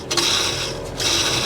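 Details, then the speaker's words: 2002 Dodge Dakota 3.9L V6 Magnum, serpentine tensioner pulley spun by hand during a belt change while the other pulleys are quiet: a gritty, dry whirr in two short bursts from a bad tensioner pulley bearing that needs replacing. "we've got a bad bearing in that so it's time to change this out"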